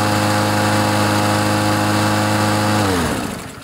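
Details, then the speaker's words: Troy-Bilt TB130 mower with a Honda engine, after clearing water from the fuel and tightening the governor spring so it revs higher: a steady high, even drone for about three seconds, then winds down smoothly at shutoff. Normal high idle. "you tell the difference I think that's going to work a lot better"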